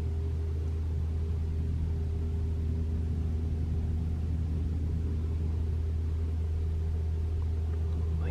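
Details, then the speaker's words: 2021 Toyota RAV4 Prime SE in EV mode, 57°F outside, heater Auto, AC off, fan to three bars, fourth reproduction attempt: constant low heat pump hum, pretty loud, no rattle or groan, not the infamous noise; normal. "hear the heat pump humming it's not doing anything it's pretty loud but it's not making that sound"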